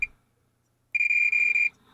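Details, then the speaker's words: Marantz 1180DC amplifier, multimeter continuity test on a transistor: steady high beep for almost a second; dead short, transistor shorted all the way around, bad. "okay that is a dead short and that noise is so annoying"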